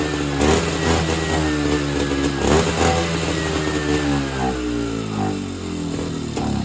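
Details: Evinrude Bobcat 25hp two-stroke snowmobile, sat 20+ years, fed mixed fuel; blips up unevenly, surges then sags and stumbles; owner thinks fuel bypasses the non-working carburetor back to the tank, running only on his own fuel supply.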